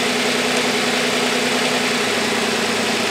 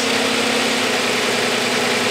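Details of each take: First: V6 car at idle during a power balance test with the cylinder two coil pack disconnected; idle drops lower and goes slightly uneven and lumpy; running on five of six cylinders. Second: Six-cylinder car, coil packs three front and three rear, idling evenly and smoothly with a steady hum and no stumble; all six cylinders firing normally.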